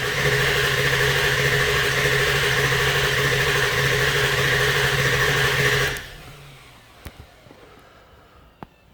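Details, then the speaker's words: Ford 7.3 diesel with failed aftermarket HPOP, new position sensor fitted, while cranking: rough steady chatter then dies; only about 440 psi injection oil pressure, barely firing, stalls within minutes, falls to 250 at 64%. "We're only producing barely trying to fire. That's all it will produce. About 440."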